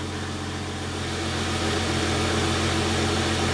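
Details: 2001 Ford AU Fairmont on a lift just after an engine oil change and startup: a smooth, steady idle with an even low hum and no ticks or knocks; the oil pressure needle took a while to move.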